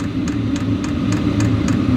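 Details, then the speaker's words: Wippro 8 kW diesel heater in a shop bus, fired up after 3–5 minutes, drawing 30–40 W, recorded on a sensitive external microphone: steady low burner hum under crisp fuel pump clicks, three or four a second; normal. "and I will say you guys can probably hear the clicking in the camera and I'm using an external microphone so it's like super sensitive so the clicking you're hearing is the uh fuel pump"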